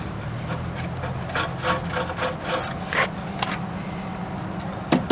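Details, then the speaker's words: Suburban RV furnace blower wheel spun by hand; uneven scraping rub each turn over a low hum, the wheel catching inside the housing. Owner suspects a bees' nest, not confirmed. "I can spin it but you can tell it's rubbing on"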